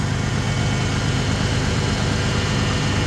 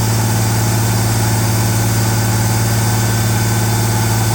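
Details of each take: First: Ford Bronco started for the first time after sitting a while, with new radiator hoses, fresh coolant and gas: steady, even low idle rumble with no lifter tap, ticking or misses. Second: Ford Bronco under restoration, just restarted, cold: fast, steady idle well above normal, expected to drop as it warms; later it came down but stayed slightly high.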